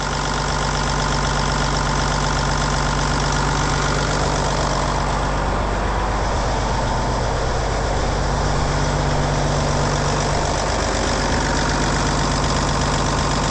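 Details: Cummins N14 diesel truck engine idling right after a cam job (new cam bearings and followers, valve train adjusted), valve covers back on: deep, even idle with a steady beat, no ticking, knocks or misses; healthy normal idle.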